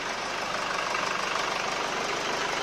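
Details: Mercedes ML W166 with OM651 diesel, first start after exhaust manifold rebuild with new studs, nuts and gaskets for a turbo whistle complaint: smooth, even idle with steady rhythm, no whistle or hiss, healthy.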